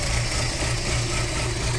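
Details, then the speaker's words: Audi A4 B6 2.0 ALT engine at cold idle, running diesel-like: dull, uneven thumping knock under the engine note. Happens only cold and improves as it warms. Owner suspects the cam phaser; unconfirmed, engine to be opened. "И он так, получается, дизелит. Как дизель работает."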